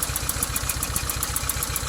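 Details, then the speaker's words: Proton Wira sedan idling lumpy and uneven, about seven or eight thumps a second, as if running on three cylinders; mechanic suspects low compression (under 100) and plans a compression test, unconfirmed; cylinder misfire. "Mana tahu kompres dia kurang daripada 100, so boleh menyebabkan bunyi macam ni juga."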